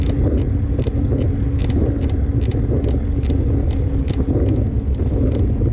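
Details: 2015 Trek Remedy mountain bike while riding: sharp creaks about twice a second over heavy wind rumble; a creak from the frame or suspension, source not pinned down.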